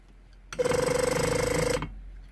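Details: Range Rover Sport air suspension compressor (appears to be a BMW unit) with suspension warning, exhaust valve and compressor circuit faults: short buzzy whir with even fast pulse for about a second, then stops; pump runs, condition unknown.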